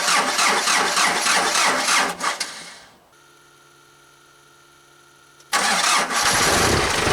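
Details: 4BT Cummins diesel Jeep on a cold morning of about 30°F: steady cranking, a pause, then cranking again without catching. Hard cold start traced to a leaking VE injection pump, which was resealed and then replaced; a 6BT grid heater was also added.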